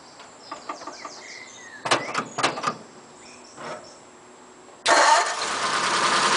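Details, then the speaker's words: 1941 Ford pickup, stone cold the day after carb and air-filter work and fresh oil: a few clunks while cranking, then fires promptly into a steady idle; normal cold start, surprisingly easy. "so this is the day after so this is stone cold so let's do it cold start"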